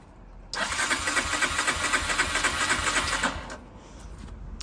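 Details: 2004 Honda CG125 barn find, unrun for years: steady starter cranking at about four beats a second for three seconds, never catching; it won't fire because the carb jets are blocked.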